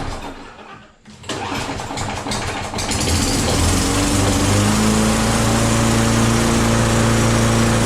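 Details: Self-propelled walk-behind mower with oil, a little gas and primer bulb: a pull, a brief cough, then it catches and settles into a steady, even single-cylinder run; running fine.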